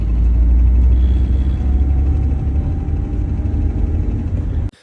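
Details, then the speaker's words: Freshly built Honda Civic engine with forged bottom end, hot after about 20 minutes' driving: even tick-knock about four a second that doesn't change with RPM, so rotating assembly doubted; exhaust gasket suspected. "but after about 20 minutes of driving when it gets real nice and hot it starts to make this"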